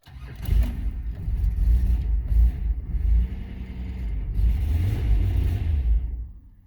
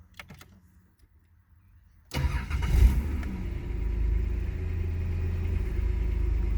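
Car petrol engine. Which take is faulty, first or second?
first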